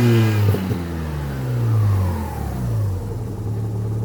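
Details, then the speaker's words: Mazda RX-7 FC, naturally aspirated street-port rotary, warm enough to redline, after a fuel-system flush. Free rev with no load rises and falls cleanly without stumbling: healthy rev. "That was probably quarter throttle. It has enough heat in it that you can redline it."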